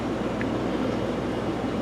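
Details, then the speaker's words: Fluval FX5 canister filter after reassembly; a cracked O-ring had let air be sucked in. Only a faint steady hum with no gurgling or rattle. It is running quietly and normally. "totally quiet now so looks like the problem was that uh that O-ring or two that was a little bit of crack was allowing some water um some air to get sucked in and that was making all the noise so now it's nice and quiet"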